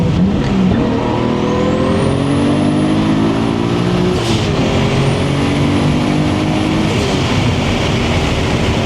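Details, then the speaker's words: 1989 Toyota Supra, stock-block 2JZ-GTE, BorgWarner S362sxe turbo, T56: full-throttle pull at level 1, 17 psi boost, to redline; smooth engine note climbing with rising turbo whistle, healthy boost pull. "that's 17 pounds. I can literally get into it. You can drive it like stock, get into boost, and go."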